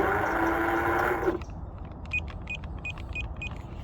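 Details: Cheap eBay bait boat just paired with remote (OK button held while powering on): steady electric motor whir about a second, then cuts off followed by short high beeps; motors respond normally.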